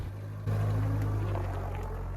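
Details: Land Rover Series 1 that wouldn't start, after cleaning years of sludge out of the SU fuel pump rather than replacing it: engine catches and holds a steady low idle without stalling or surging; fuel supply restored, running even.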